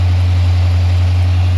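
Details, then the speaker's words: Used 5-liter V8 in a donor car, with some mileage, idling: steady even low rumble with no ticking, lifter noise or knock; sounds healthy. "Well, it sounds pretty damn decent comparatively to ours. Sounds healthy. Yeah, none of the insane lift or tick or whatever."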